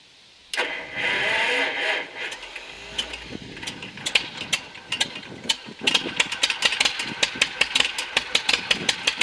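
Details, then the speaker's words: John Deere MC crawler, first start in a year after fuel system overhaul, new muffler, ignition rebuild and sanding grungy points: catches after cranking into sharp, somewhat uneven exhaust pops that quicken; starts and runs on its own. "Well, she runs. She moves under her own power, and actually got over here next to the barn so I can continue to work on it."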